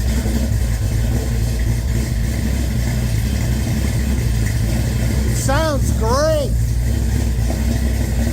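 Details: Henry J with Sniper fuel injection, first running after an old GM HEI module replaced the faulty new one and possible flooding: a steady, even low idle rumble with no misses.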